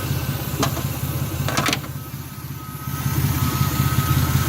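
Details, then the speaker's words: Turbocharged Chevy S10 V6, 5-speed, running a Greddy e-Manage tune, fully warmed up: a slow, slightly lumpy low idle with a steady beat and no knocks or squeals; normal warm idle. "a little bit of a slower low peer idle once it warms up and it's already warmed up all right"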